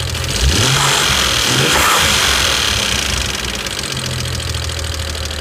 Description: Very loud ticking sound that gets louder with revs and don't stop once warm.